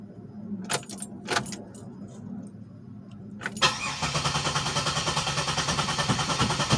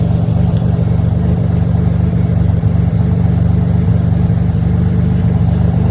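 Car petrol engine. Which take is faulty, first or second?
first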